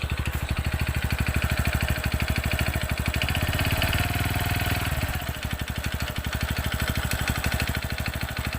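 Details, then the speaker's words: TVS Radeon BS6 motorcycle engine at idle, louder right after start and quieter later. Rapid, steady hollow knocking in time with the engine; mechanic diagnoses piston noise: piston slap. "कि तुम्हें कुछ clear बताता हूं कि इसका जो आवाज है दोस्तों यह क्वेश्चन का आवास है बिल्कुल क्लियर के साथ में कह सकता हूं कि इसका पिस्टल अकाउंट है पिस्टल का आवाज है"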